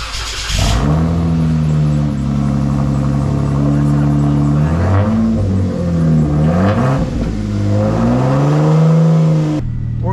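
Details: Jeep after welding in a new exhaust: engine fires and idles with throttle blips, deep even exhaust note without hissing or ticking leaks; exhaust sounds sealed.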